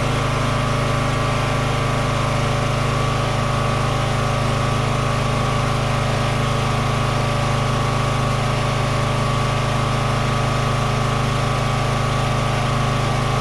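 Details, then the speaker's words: Free Toro 14.38Z zero-turn mower after fixing no-spark: steady even drone with constant low beat, no stumbling or surging; runs normally, slight smoky smell, possibly external oil or burning, unconfirmed. "it runs and works yeah all right Victory okay I will say it smelled a little smoky there"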